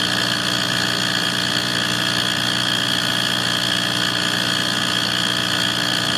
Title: Why is my wall furnace making this noise